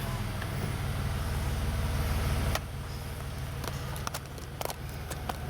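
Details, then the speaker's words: Alfa Romeo Brera V6, just after replacing the ignition coil and spark plug that were causing a cylinder misfire: even, low-pitched idle with a steady beat, no stumble or skip; runs smooth and healthy. "okay we are here now just change the ignition coil and spark plug that was causing the misfiring in the cylinder let's see if it runs at all it's quite exciting seems to work"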